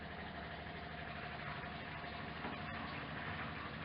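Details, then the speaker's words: MGC GT automatic at first start after long storage, key on: the electric fuel pump gives a steady, even clicking buzz and is pumping fuel well, with about a quarter tank. "so I think I'm going to see if we can siphon it out of the tank first. That's pumping pretty good though."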